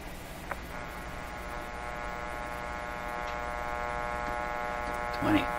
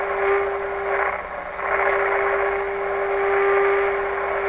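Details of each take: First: 1925 Magnavox Type D TRF radio on bench supplies, detector B+ raised to about 20 V: steady low hum with even overtones through the speaker and no station; one power supply is putting hum into the audio. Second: 1925 Magnavox Type D TRF radio, first time working after restoration attempts, volume turned up. The speaker gives a steady tone over light hiss with level swells. Radio receiving normally.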